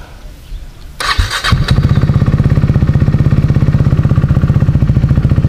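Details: KTM RC 390 single, off the road for months after a fuel pump problem stopped it starting: quick crank, then catches and settles straight into an even, steady thumping idle; now starts and runs healthy.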